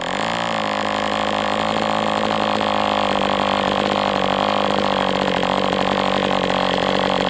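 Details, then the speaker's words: MDS 68 FS Pro model four-stroke engine on break-in runs, 11x8 prop: loud steady buzzing with a soft blubbery edge, high-speed needle still a little rich with this plug, tweaked another 1/8 turn. "Okay, so with this plug and this high-speed needle setting, it still is a little bit rich."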